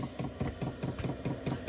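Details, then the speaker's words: Cheap diesel air heater in a skoolie: quiet evenly spaced fuel dosing pump clicks, about five a second, over low hum; normal operation but loud enough to disturb sleep at night. "that pump is so annoying at night I'm a very light sleeper if you're not a light sleeper then you might be fine but see I lay right here and I just hear that ticking ticking ticking all night drives me crazy"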